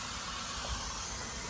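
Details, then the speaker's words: Truck, engine off: steady even hiss of air escaping from front corner below the steering wheel, traced by hand along the air pipes behind the front panel; air brake line leak. "You can hear that air escaping, and that's what I heard."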